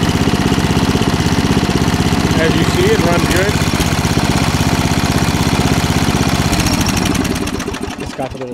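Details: Ford R 12 lawn tractor, 12 hp single-cylinder, fully original with float replaced, started by operator seated: steady, even beat of about three firings a second with no misses or knocks; normal running.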